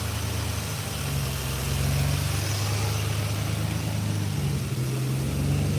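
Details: 1986 Chevrolet C10 with throttle-body injection: the idle rises and sags unevenly, stumbling and hunting instead of holding steady. Fuel pressure checked within 14–18 psi and holds; TPS already replaced. Check engine code 44 returns. Injectors or fuel pressure regulator suspected, not confirmed.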